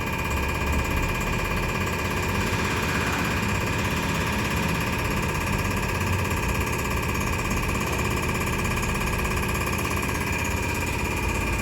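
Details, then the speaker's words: Injectors from a 2013 Nissan Navara YD25 2.5 L turbo diesel (240,000 km) on a bench test: rapid, even ticking over the pump drone. All four injectors were found fine. "We're running those injectors now. We're just testing these injectors down here. So we're testing these. We'll test all four of these to make sure whether they're any good or not."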